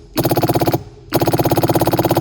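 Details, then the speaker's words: Jaguar XKE electric fuel pump, bench-tested on battery leads after cleaning its points with a wire wheel following years of storage: two runs of fast, even, crisp clicking, about twenty a second; pump runs properly. "Looks like the pump runs."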